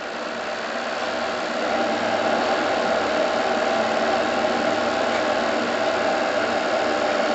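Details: Anton T200 steam engine in the Topaz RC steam launch, gas-fired boiler at 2 bar working pressure through a new regulator, throttle opened: an even steam hiss with a soft beat of about three a second building smoothly; normal running.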